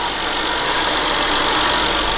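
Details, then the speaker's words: BMW E60 535xi bought from Copart as a non-runner, running after a new battery: an even, steady idle with a smooth turbo hiss on top and no skipped beats. A smooth idle, clean on all cylinders. "There's no miss. Bro, holy shit. Oh, the turbos sound so nice, bro."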